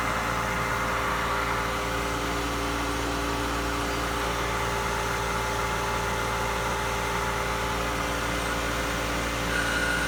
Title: Jandy Pump grinding noise